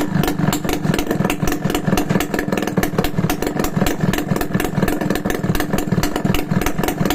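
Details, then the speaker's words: Restored Yamaha RS100 two-stroke idling with no exhaust pipe fitted: sharp, fast crackle from the open port. It holds a steady idle without misses or rattles; the engine itself is quiet and fine. "Wala pang pipe kaya maingay. Parang tahimik naman yung makina niya mga kamekaniko."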